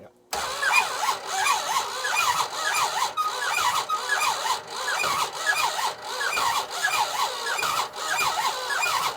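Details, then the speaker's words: Dodge Monaco barn find sitting for decades, very low compression, cylinders blown out with air: slow, laboured cranking in heavy pulses about every half second with odd catches of firing. Owners suspect stuck rings and seized bearings giving heavy resistance. "we do think that maybe there's some piled up or ceased bearings in there it's really given a lot of resistance"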